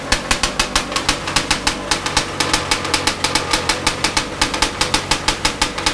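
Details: Big-bore stroker 277 two-stroke snowmobile engine, first start after rebuild with new sleeve, primed beforehand: crisp, evenly spaced pops about six a second, steady rhythm with no knocking or misfires; idling healthy.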